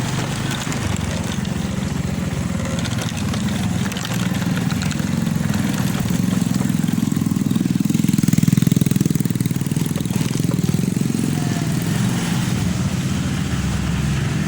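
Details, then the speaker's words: Honda Vario 125 FI that wouldn't rev or move, misfiring, after repair; low even putter holding steady idle without misses or hunting; normal idle. "Ini sudah sembuh, sudah total, sudah enakan. Langsamnya pun sudah stabil."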